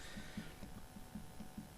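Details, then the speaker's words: Nissan S15 drift car, Driftworks CS2 coilovers after a couple of years: dull low knocks about five a second as the strut is worked, from a worn top strut bush with play; bush replaced. "Here's my CS2s. They've been on for a couple of years now, and other than the knock that they've started to get, been sound."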